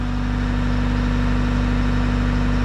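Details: Bobcat T66 R-series track loader, Bosch fuel system, after fuel and air filter replacement: steady, even diesel clatter at idle with no hunting or misses; running smoothly, no leaks found.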